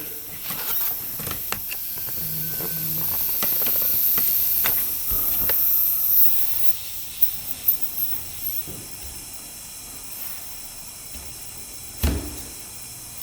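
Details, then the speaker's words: 2006 Yamaha YFZ450 quad leak-down test: steady airy hiss with short puffing bursts as air escapes up through the radiator; head gasket failure leaking into the cooling system, engine to be torn down. "so looks like we've got a head gasket failure [Music] you hear that air coming through"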